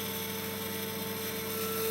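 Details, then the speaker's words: Axis stepper motor on a Chinese laser cutter running at 10 mm/s, investigated as the cause of ripples in engraved backgrounds. A steady, thin whining buzz builds as it goes from gentle vibration into oscillation: stepper motor resonance. "it's lost its library it's just vibrating gently now and now it's gone into oscillation"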